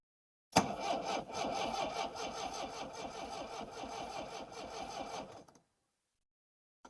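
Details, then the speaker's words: 1960s Homelite 55HP boat motor after freeing starter, new ignition capacitor, thicker battery wire: starter churns steadily about four turns a second without firing; cranks but won't start, owner suspects no electricity reaching the points. "sounds like she wants to but there still sounds like there's no um electric getting to the uh the points there"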